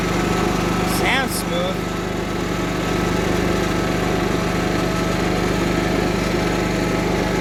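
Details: Cub Cadet 1330 Kohler single, first run after long sitting, with a plastic piece removed from the tank outlet; even, steady fast-idle beat with no misses or stumbles, a bit smoky; runs smooth.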